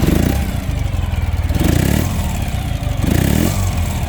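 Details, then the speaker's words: 2013 Ural Patrol carbureted twin, two light throttle blips at idle: a throaty, even exhaust beat rises freely and drops straight back to a steady idle with no stumbling; a healthy engine. "as you can hear it's got a really nice throaty sound in that exhaust and it revs so freely and returns down to idle with no stumbling no issues whatsoever"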